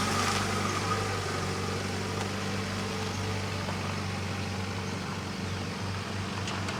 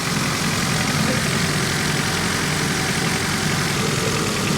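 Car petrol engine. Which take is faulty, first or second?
second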